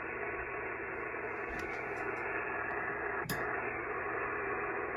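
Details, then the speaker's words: Pyramid PSV500 50 A switching DC supply set to 13.8 V, heard through a ham radio receiver on a cobweb antenna: steady harsh hiss and static with no signals coming through; switching power supply interference. "okay that's a power supply coming on I have it set at 13 .8 Vols that noise that you hear is the switching power supply"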